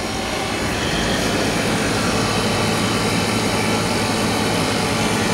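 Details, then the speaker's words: Static refrigerated trailer condensing unit restarted after resetting its tripped compressor breaker: loud steady roar with fan rush and low compressor hum, working hard under heavy load, liquid line hot; wrong B-type breaker, dirty condenser, out-of-spec run capacitor found. "that liquid line's red hot. I think it's probably got a lot of load on it at the moment. That just looks more like it's working hard"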